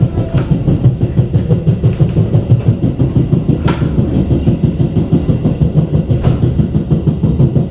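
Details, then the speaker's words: New-generation executive passenger train car K1 02417, factory-fresh, running Gambir–Yogyakarta: deep regular thumping about three times a second under the running rumble, paced with speed; passenger suspects a flat spot on a wheel. "ini di k102417 terdengar suara aneh ya teman-teman seperti roda benjol gini nih Apakah ini rodanya benjol"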